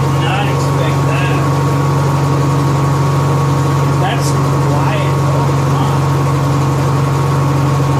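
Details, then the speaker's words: Honda EXW171S welder generator, sat in a barn over 5 years, run indoors after choke warm-up: quiet, steady low hum with an even beat, no knocks or misses; normal running, smooth once warmed. "he started at my run yesterday I know it's weird building this on a cell myself and you run a generator inside it's real quiet we warmed up in the choke code throttle mode"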